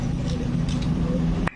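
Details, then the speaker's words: Valve guide check on a disassembled Soul GT engine head: valve inserted, port covered and pulled, giving a single sharp pop; the guide still holds suction, so it is tight and good. "terus tarik kalau ditarik bunyi berarti menandakan di bagian Bos klep masih rapat masih bagus"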